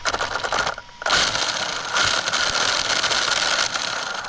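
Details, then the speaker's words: Two-year-old Traxxas Unlimited Desert Racer RC truck on 4S (two 2S LiPos), after a hard landing, front driveshafts and cups looking fine: high-pitched motor whir under throttle with a harsh gritty rasp through it, stripped center diff gears grinding. "That does not sound happy. That does not sound happy."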